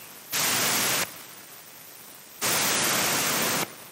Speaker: now you will hear leakage like that that leakage is normal and when you energize it you'll hear more leakage